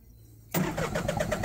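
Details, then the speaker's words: Yanmar ViO35 mini excavator with the starter fed by a wire run straight to the solenoid while tracing a shorted wire: after a pause, strong, even cranking at about eight compression pulses a second; the starter is fine, but it won't start without the key on. "you can hear the starter it won't start unless you have the key turned on"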